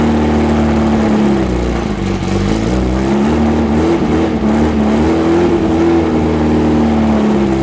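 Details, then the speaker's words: Rebuilt VW 1835 bus flat-four running on a stand, throttle raised slightly: a soft, lazy note that wanders with small throttle changes; ignition timing very close but slightly retarded. "give me a little bit more give me out sound like timing must be a little bit slow timing is very close but a little slow"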